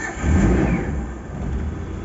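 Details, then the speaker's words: Daihatsu Zebra Espass, unused 5-6 days, in neutral, throttle pumped three times and held during cranking: catches within a second, revs briefly, settles to a steady low rumble; normal cold start. "6 hari, 5 hari nggak hidup sama sekali, aman teman-teman."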